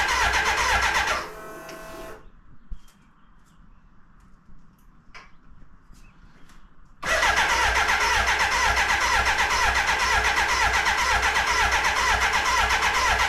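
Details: BMW K100 café racer, first start after refitting the fuel tank with air likely in the fuel lines: a short burst of cranking, several seconds of near silence, then it catches and runs steadily; it later cuts out and won't restart, cause unknown.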